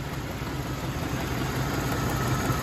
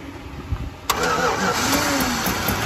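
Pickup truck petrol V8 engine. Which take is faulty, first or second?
second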